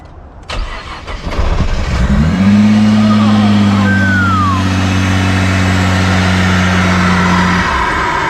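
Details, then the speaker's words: 2018 Nissan GT-R, about 1000 hp, auction car, first start after sitting, fuel primed with key on/off cycles. Brief crank, then it catches cleanly and settles into a smooth, steady idle with an even low hum; starts normally, like a regular GT-R. "So the boat, look at that. Look how it fires up. Ready? Like a regular GTR."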